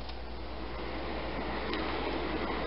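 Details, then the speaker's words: Replacement motor for an older home's bathroom exhaust fan, bench-tested before remounting: a low steady hum and soft even whoosh, no rattle or scraping. Nice quiet operation, normal running. "and nice quiet operation so we're gonna put this back into the mount"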